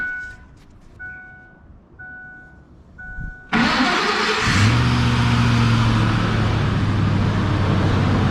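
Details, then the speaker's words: Ford F-150 after an engine swap, once the throttle body was plugged in: chime beeps, then the engine catches at once and settles into a steady, smooth idle, good oil pressure, battery charging; normal idle. "runs like a dream awesome quarter tank fuel battery charging great oil pressure"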